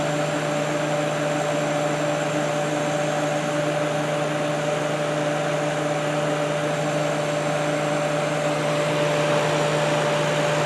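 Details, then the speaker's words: Kenmore dehumidifier after cleaning, compressor just reconnected: steady, even hum with a constant mid-pitched tone and smooth fan rush, no knocks or rattles; compressor and fan run normally. "compressor is all reconnected and let's go ahead and turn this on and see what happens sounds good so far"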